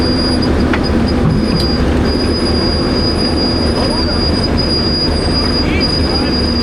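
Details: Old Grove crane, sitting 10+ years, creeping along after restart: steady high-pitched squeal over the rumble; brakes on these are said to stick on; brake squeal.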